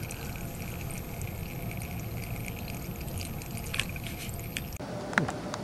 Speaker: And let's see how much water we're getting out. Quite a bit. It's basically almost pouring out. It is pouring out.